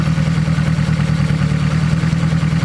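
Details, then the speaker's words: Turbo 1.8 Chevy Cruze (AWD build) after new timing belt, pulleys and tensioner, with alternator belt and engine mount refitted: smooth, even idle; earlier belt noise, rattle and slop gone; healthy. "Our alternator belt, engine mount. Oh, much better. That belt noise, that rattle that we had there before is gone."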